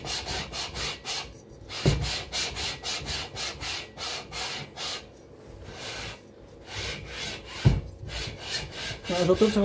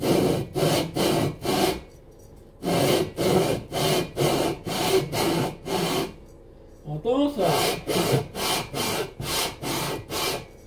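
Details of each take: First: Cox 1600 engine, second lapping pass with fine paste, barrel onto aluminium head (no gasket): smooth even rubbing strokes about three a second, no catching or grabbing; surfaces no longer grab, mating faces flat. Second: Cox 1600 engine, lapping cylinder barrel onto head (no gasket between them) with coarse paste on cylinder 2: rhythmic rasping strokes about two a second, some catching and scraping harder; high spots remain, mating surfaces not yet flat.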